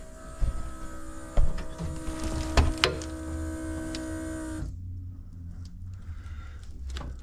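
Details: 1985 Pontiac Trans Am, sat a year without starting: key turned, steady electric hum about four and a half seconds then cuts off, the fuel pump priming; fuel leaking at the non-fuel-injection-rated rubber hose and clamps on the main feed line.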